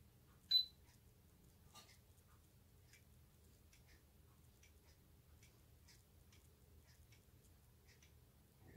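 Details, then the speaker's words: Hermle 451-050H floor clock mechanism, pendulum pushed slightly too far past the point of resistance during beat setting: faint ticks with uneven tick-tock gaps, beat now longer on the other side, out of beat. "we're back to where the beat the longer on the other side very very small adjustment makes a big difference"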